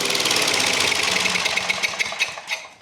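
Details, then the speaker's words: Old flathead engine on a welder, running with no power when welding: uneven, sputtering single-cylinder beat about three per second, fading as it winds down; leaking valves causing low compression. "how I like this thing's got a valve problem. A lot of valve issues this year already."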